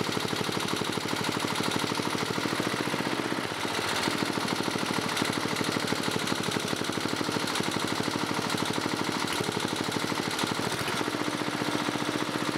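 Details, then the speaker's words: 1987 Briggs & Stratton 11 HP electronic-ignition engine on old carburetor: fast, even single-cylinder running with sharp regular pulses and a faint knock; rod knock suspected, also smokes, rebuild planned. "Well, guys, it runs. Seems like it's got a little bit of a rod knock, though."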